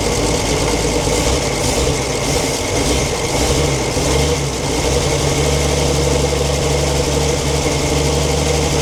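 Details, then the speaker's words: 1942 Chevrolet Blitz CMP 4WD truck, 216 petrol straight-six, sat for years: steady idle with rough grinding hum over the six-cylinder beat; owner points out water pump noise, engine later boils and pump seems not pumping. ">> Can you hear that water pump?"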